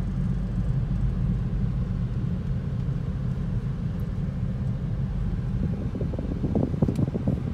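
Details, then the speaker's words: 2010 Toyota Prius driving after loose rear spoiler was fixed, tyres recently replaced: constant deep droning rumble under road noise at cruising speed; source unknown, later believed a bad wheel bearing pending inspection. "It's like a drone sound. I don't know. It's definitely a droning noise."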